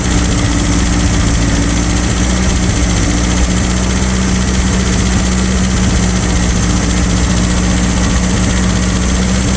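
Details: Abandoned air-cooled VW Baja Bug race car just revived after a timing adjustment, holding a loud, steady, even idle with no misfires or rattles while warming up.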